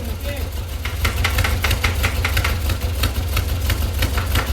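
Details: 1952 VW Split Zwitter bus, 1904cc stroker flat-four (74mm crank, 90.5mm pistons, replacing 1641cc), rerun after fixing a leak and reconnecting fuel: deep steady low rumble with light even ticking on top, no stumbling or misses; idling smoothly, no longer leaking.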